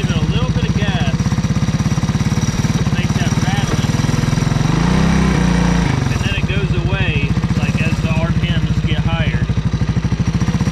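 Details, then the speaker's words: Honda ATC 200S three-wheeler single cylinder at low revs with a little throttle, timing chain already adjusted: light rattling tick riding each firing pulse, absent at idle; owner suspected rockers, but a faulty CDI is behind the low-speed rattle. "that's very little bit of gas it only does it at like low RPM it's still a little bit more gas right"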